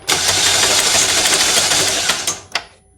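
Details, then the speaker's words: 2012 Chevrolet Malibu Ecotec 2.4L with P0341 camshaft sensor code, cranking test: starter drags engine slowly, about three labored turns a second, never catching; owner suspects dead battery. "and uh what's going on there sounds like i got a dead battery or something"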